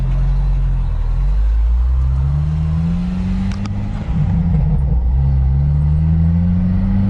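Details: 1997 Jeep Wrangler Dana 30 front differential on a highway test drive before a rebuild with new bearings and shims, planned for a loose pinion and vibration. At about 60 mph, in four, low road and engine drone rises through the gears with no whine or howl.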